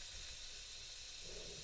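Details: Bialetti Mukka Express 2-cup cappuccino maker not locking tight: steady hiss as all the water turns to steam escaping around the upper–lower joint; no coffee rises, dangerous, repeats every trial.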